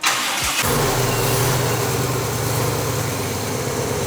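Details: Restored Snoop Dogg Cadillac DeVille V8 in park, thermostat adapted for coolant flow, large cooling fan fitted: starter turns briefly, engine catches and settles to a smooth, steady idle with no knocks; starts and runs fine.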